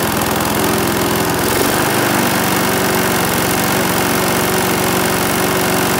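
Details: Briggs and Stratton single-cylinder mower engine, serviced after oil starvation or neglect, buzzes at steady speed after a slight early dip; runs even with no stumbling.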